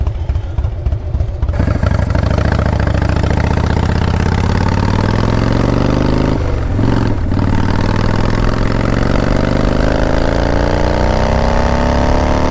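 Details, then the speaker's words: 1997 Harley-Davidson Fatboy Evo V-twin with new Dyna 2000i ignition, riding at light throttle: ragged spits and pops back through the carb; intake manifold leak left unrepaired. "see here it's still spitting and popping back through the carb there at light throttle"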